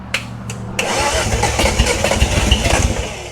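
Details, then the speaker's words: 1971 Datsun 240Z on its first restoration start, after the starter brushes were freed: the starter grinds, then it catches with uneven, stumbling firing that won't settle to idle. The ignition timing is off. "Better. It's doing stuff. I'm gonna go the other way. Let me change the timing."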